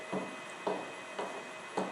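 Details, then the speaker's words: Land Rover LT230 transfer case on an electric-motor test bench at lowest speed in diff lock: an even hum with a sharp knock about every half second, as if a tooth is missing. It is play in the centre differential, judged unimportant. "that's the play in the diff. That's not important."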